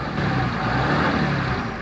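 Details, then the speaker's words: Dodge Ram 2500 Cummins turbo diesel, 193,003 miles, four-wheel drive: starts right up, even steady idle with a quiet low rumble and no rattling or knocking. "start her up starts right up not for a diesel it's actually pretty quiet"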